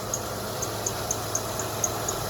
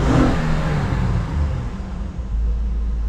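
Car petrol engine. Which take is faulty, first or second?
first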